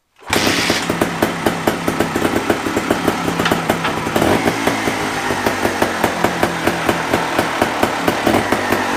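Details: Montesa two-stroke trials motorcycle, started on fresh fuel after a carburetor rebuild. Ethanol fuel had gummed the carb, sticking the throttle wide open. Crisp, fairly even popping settles into a steady idle with clean blips; running properly.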